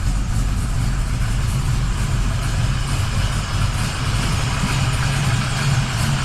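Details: 1979 Camaro Z28 V8 at initial test fire after replacing the noisy Pete Jackson gear drive with an Edelbrock Performer double-roller timing chain, new balancer and water pump; engine warming. Loud, steady even rumble, no gear whine. Normal idle.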